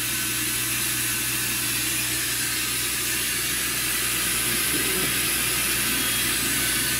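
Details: Walter Helitronic Mini Power CNC tool and cutter grinder spindle at 4,000 rpm, air purge blowing: steady high hiss over a smooth constant low hum, no knocks or rubbing; normal spindle running.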